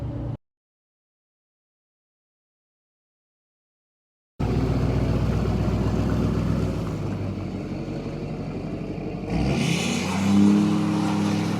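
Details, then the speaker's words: Chevrolet Silverado 2500HD on new Federal Explora M/T mud tires, driving past the shop heard from outside; low, even tread drone barely rising over background crickets, a bit noisier than previous Milestar tires but not obnoxious. "Yes, they are noisy. Are they obnoxiously noisy? I don't think so."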